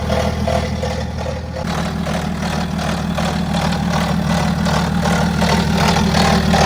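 Diesel idling with a fast, fairly even metallic chatter over the low drone, the kind of rattle worth checking at the timing chain. Cause suspected, not confirmed.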